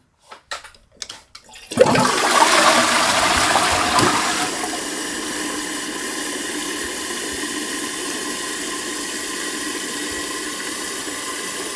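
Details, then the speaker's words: Toilet with a condensation-free plastic inner cistern: button lifts the outlet valve, handling clicks, loud rushing flush, then the float drops and the inlet valve refills with a steady hiss; flush and refill working normally. "Det vil sige når jeg trykker på knappen så løfter jeg ventilen så vandet falder ud af cisternen og ned i kummen og samtidig med at vandspejlet falder ned så falder selve flyder koppen med ned og så tager cisternen eller ventilen her nyt vand ind i"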